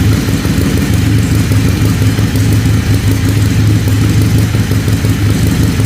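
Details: Harley-Davidson Ironhead Sportster, carburettor backfire traced to the ignition, after fitting a replacement part: loud, even V-twin lope with a steady beat, no popping back through the carburettor and no misses; normal running.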